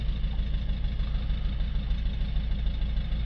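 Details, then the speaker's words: Citroën C4 Picasso 1.6 diesel, bonnet open, with code P0265 for an injector 2 circuit short: low, lumpy idle with an uneven beat about three per second and the engine shaking; misfire because injector 2 gives no response. "So, we have injector 2 signal short circuit between two wires."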